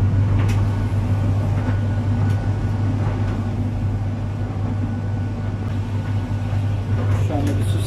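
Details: Arçelik 3891 KT 9 kg heat pump dryer just started on cupboard-dry cotton program with a small load: steady, even low hum with faint constant high tone, no knocking or scraping; runs normally, compressor sound may come occasionally.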